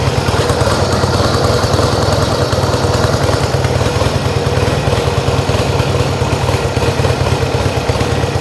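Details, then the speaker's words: Yamaha XS1B after rebuilt carbs, airbox refitted and a dead-cylinder tune, throttle screws set evenly for about 1000 rpm idle: steady, even idle with a smooth, regular exhaust pulse and no misses or knocks, after one backfire; sounds healthy. "How does that sound? Sounds good to me."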